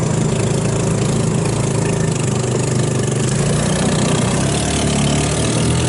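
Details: 150cc GY6 engine in Hammerhead off-road go-kart, after carburetor rebuild removing water and jelly contamination; steady, even low putter with no stumbles or misses, runs smooth and healthy now.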